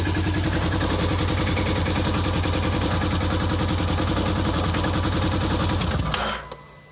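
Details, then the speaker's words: 2014 Polaris Ranger 900 XP with code 636, crank position sensor harness unwrapped: engine runs with a rapid chuff then dies abruptly; a short in the crank position sensor wiring cuts the engine. "So the short is down in here somewhere. This is your crank position sensor cord wiring."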